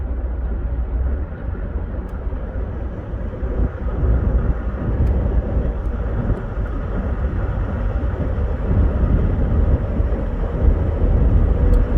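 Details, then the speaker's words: 2011 Ford F150 3.5 EcoBoost on light acceleration around 1800 rpm: dull rattle over road noise, tied to airflow more than rpm, gone off throttle, no knock on scan tool; cause was a partially disengaging left integrated wheel end. "Frequency of the rattle, I'd call it a rattle. Seems to be related to airflow more than engine RPM. Doesn't show any kind of detonation on the scan tool while it's doing that rattling."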